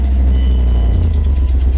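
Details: 1999 Dodge Dakota R/T, 5.9L Magnum 360 V8, about 20 years old. First start after hack aftermarket stereo and alarm wiring was removed and the wires resoldered. A loud, steady V8 rumble settles into an even run with no misses or knocks: starts cleanly.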